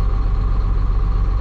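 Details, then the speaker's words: Caterpillar 3126E diesel truck losing power with a skip, injector cut-out test via Caterpillar software: steady idle with even pulses, no change when this cylinder is cut, so it is doing nothing; bad injector, to be replaced. "it's doing nothing so that's where I'm guessing I'll rip it out"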